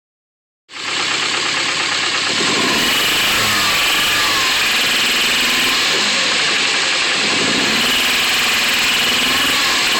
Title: Stock KA w/ Apexi N1 dual tip *rod knock*